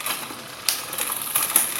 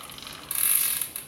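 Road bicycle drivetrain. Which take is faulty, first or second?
first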